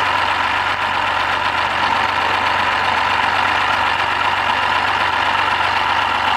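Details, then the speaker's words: BMW 528i with N52 inline-six, 120,000 km, modified variable exhaust, bought unseen: idling with a rough, gritty grinding over a steady low hum, grinding from inside the engine; unclear yet whether full engine failure or partial repair. "자 이제 엔진소리 한번 들어봅시다 엔진이 이상한 소리가나요 뭔가 갈리는듯한 소음이 나는데"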